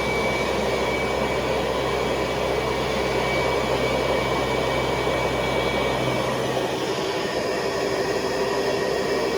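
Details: 1970s Hoover Convertible vacuum with attachment tool, motor shifting into high speed (400 to 625 watts): steady loud rushing hum with thin even high whine; motor runs smoothly at high speed, moderate suction.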